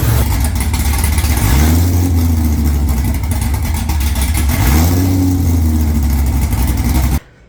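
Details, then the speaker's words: C5 Corvette V8, first start after installing an A&A supercharger and new fuel system, no exhaust fitted, battery jumped: very loud idle that swells and settles twice; not yet tuned, cause suspected — idle surge. "There's a little bit of a surge, so we gotta get it tuned an"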